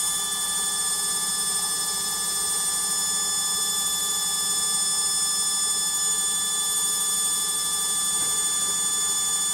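A loud, steady high-pitched whine holds through the fast spin with no change in rhythm; noisy spin, cause unclear.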